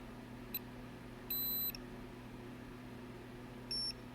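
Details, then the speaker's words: ALR PowerFlex 386 motherboard with no POST, after repairing corroded traces and refitting the 8042 chip: short chirp, long high beep, short beep over fan hiss, repeating the same code without booting; a failing component is suspected but not identified. "we're back to where we were before it's just running through the same code over and over again not sure what's dying but something is"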